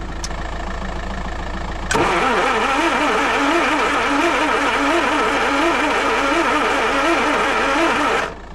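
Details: Land Rover 2.25 petrol with refurbished Zenith carb, new distributor, coil, HT leads, solenoid, lift pump and starter, choke partly on, no throttle connected: even cranking about four beats a second, never fires; lift pump not delivering fuel.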